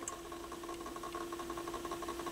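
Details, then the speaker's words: Pioneer PL-707 turntable running after stylus cleaning and belt service: steady mid-pitched hum with a fast, even ticking while the platter spins; the drive motor itself is noisy. "yeah you can hear that that motor running a little bit and then we'll go to the end and let it pick it up and return it"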